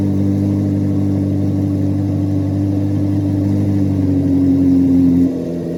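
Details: 2024 Chevrolet Corvette C8 Z06 revving: a strong, steady V8 note held high with no knock or rattle, then easing back smoothly; a healthy engine revving freely.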